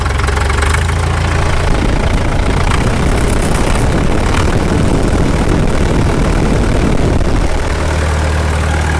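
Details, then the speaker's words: 1951 Caterpillar D2 crawler diesel, first run with low fuel pressure (transfer pump check suspected): light throttle raises engine to busier higher note for several seconds, building fuel pressure, then settles; even running, no knocking. "Yeah, we're building fuel pressure, higher RPM."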